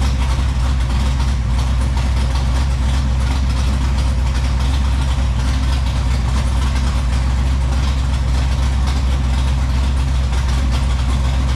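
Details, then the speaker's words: Dodge Challenger V8 running again after a long time, with a brand-new alternator fitted and electrical gremlins cleared: heavy, even idle with no ticking or stumbling, oil pressure coming up; running clean. "can you believe that all I did was just short it over and fire it up that is unbelievable"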